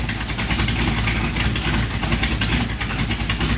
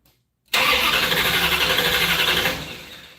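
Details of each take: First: First start-up of a 1968 Plymouth Barracuda V8: loud, even lumpy idle with one clean rev blip, exhaust drowning out the working fan; engine runs healthy, though a small fuel leak was found at the fuel pressure regulator. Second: 1968 Barracuda first start attempt: about two seconds of steady cranking at roughly four beats a second that never catches, with no smoke. The owner is checking for spark with a test plug and believes it isn't sparking; ignition power reportedly drops while cranking.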